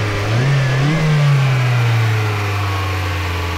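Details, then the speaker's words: 2005 Mazda MX5 Mazdaspeed turbo on Megasquirt ECU with cold air intake and eBay injectors, previously misfiring and stalling at idle: pressing a coil pack connector with a wire slid out of place gives a steady, smooth rev with no misfire. "Sorry, I'm filming and doing this myself, but when I put pressure on that coil pack plug, it runs good."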